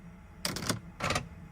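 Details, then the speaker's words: Audi Q7, after replacing a bad battery under the driver's seat, suspected cause of the steering lock fault: two short whirring clicks about half a second apart as the column lock releases; steering lock disengaging normally. "that is our steering lock module disengaging looks like it works fingers crossed that's all we were dealing with"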